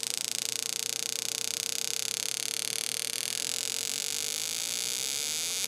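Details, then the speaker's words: Mavit ULP-01 prostate massage device (pulsed EMF, heat, vibration) running after power-on: fast, even electronic ticking over a steady high buzz, rate ramping down then up as massage and PEMF frequency change; normal operation. "you'll hear the ticks and that ticking is basically the massage function and the frequency of the massage and also the pulse DMF changes it ramps down then ramps up"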